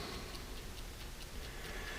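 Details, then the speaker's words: 1969-71 Lincoln Continental Mark III dash clock, serviced and out of the dash, points not firing without power: crisp, even ticking about four to five per second; the clock movement is running normally. "It's not gonna fire because I don't have power to it. But there's the clock running."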